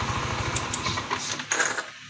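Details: Yamaha NMAX 155 (old model) after repair of error code 61 (ISC fault), idling after the fix. Short run of even, quick exhaust pulses, no knocks or misses: normal idle.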